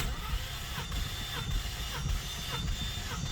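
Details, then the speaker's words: 2019 Ford Mustang GT, manual, Vortech supercharger, compression test with injectors disconnected: steady starter cranking with even, regular compression pulses, no hesitation; this cylinder reads healthy (owner suspected low compression on one cylinder). "Okay, so 210, very good. All right, so it's healthy on that cylinder, 210, let's say, very good."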